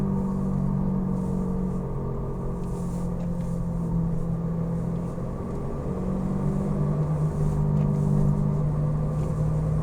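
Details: Falken FK510 tires: low droning hum swelling and fading gently over road rumble at steady speed; noisy tires suspected, not confirmed.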